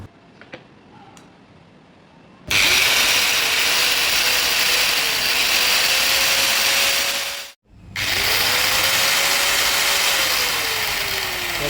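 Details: Hand angle grinder after cleaning and gear greasing, run with no load to compare with the earlier loud knocking. A steady high whine with an even pitch that dips and recovers with the trigger, and no grinding or rattle; normal no-load running.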